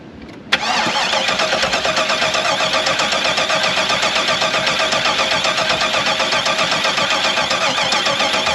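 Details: LS-swapped K5 Blazer after sitting all winter: starter cranks evenly at about four beats a second for eight seconds, engine never catches; crank no start, cause being diagnosed.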